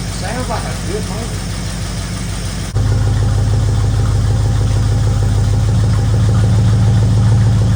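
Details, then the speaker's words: 1964 Ford Fairlane Thunderbolt clone V8, barn find, first run after sitting, oil change likely due: steady low rumble at idle with a faint quick tick riding over it, about three per second; little lifter noise. "that motor sounds sweet I don't know how it sounds on this video have been a little lifter noise cuz it's not been run and probably need the oil change and all"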